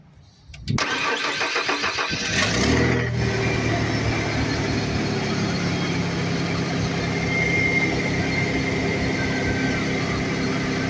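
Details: 1995 Ford F-150 4.9L with emission equipment removed, started after battery reconnected: quick crank catches within a second, flares up, then settles into a steady, even idle with no knocks or misses; normal start and idle.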